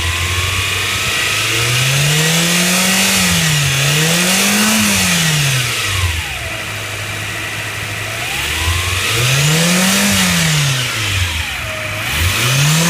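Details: Mitsubishi Pajero Mini, 4A30T turbo engine: as revs rise and fall, a whistle rises and falls with them over the engine note; abnormal turbocharger noise.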